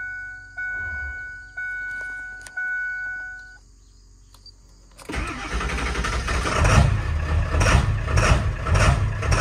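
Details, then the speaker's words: 7.3L Powerstroke diesel truck, cold start first thing in the morning: chimes, then cranks, catches and bucks, shakes and cackles with irregular surges before smoothing to idle; owner suspects injector o-rings, and the ICP sensor is new. "so as you can see it bucks it shakes it cackles and then it idles and smooths out so you can tell that something's going on"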